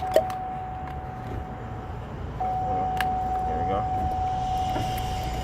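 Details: 2000–2005 Chevy Impala power window motor running: steady mid-pitched electric whine that grows louder partway through and holds even. The motor itself is running smoothly and healthy.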